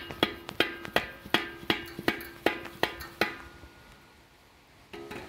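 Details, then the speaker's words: Cut-out front light-off catalytic converter from a 2006 Ford E350, nearest the manifold, shaken by hand: sharp hollow metallic clunks, two or three a second. The loose inner substrate biscuit rattles. "I'm guessing the biscuit must be loose inside here and rattling back and forth."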